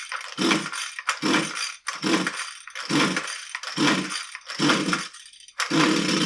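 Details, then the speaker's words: Husqvarna 129L string trimmer, fuel looks fine, about seven recoil pulls on full choke: rattling zips about once a second, never firing; plug and cylinder stay dry, a no-start traced to an intake air leak. "I mean there you go it didn't run so what I want to do is I want to take a look at the spark plug and inside the cylinder again"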